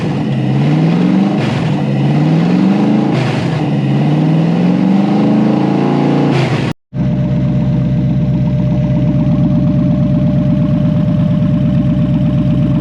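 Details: Toyota 1UZ V8 in a Lambo kit car, newly wired with a Link Monsoon ECU and coil-on-plug ignition, 400 kPa pressure, first fire-up check. Revs sweep up and settle to a steady, even, smooth idle; running healthy.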